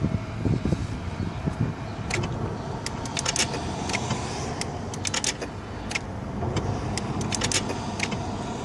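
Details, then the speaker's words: 1995 Mercedes S600 electronic throttle (EGAS) computer test: crisp clicks and short whirring bursts as the ignition is cycled. Throttle linkage and secondary throttle body both activate normally, though the unit is not fully seated. "so you heard it four or five times i activated the ignition so i'm activating this throttle linkage and secondary throttle body activates"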